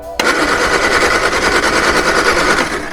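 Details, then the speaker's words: Old Vauxhall Viva petrol engine cranked after tinkering. An uneven, stumbling rattle fires about three times a second, struggling and reluctant to keep running. The engine is hard to keep running. "So, yeah, Callum's granddad lives literally 15 minutes outside the Black Mountains, and whilst the car was running, it wasn't very easy to keep it running."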